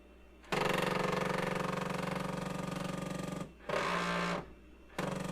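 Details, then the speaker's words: IBM PS/2 Model 30 with a Ditto Max tape backup drive reading the tape header: loud buzzing mechanical whir in long bursts with short pauses as the tape shuttles; normal operation. "And it sounds like it's going to blow up. Reading the tape header."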